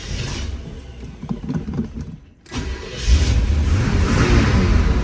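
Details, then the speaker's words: 1977 Corvette starting after loose battery terminal knob was tightened and battery trickle-charged; brief crank, fires promptly into steady even idle, good fuel supply, alternator charging; normal start. "yeah so it's it's uh it's running fine it's starting up good it's getting good gas supply don't see any issues there"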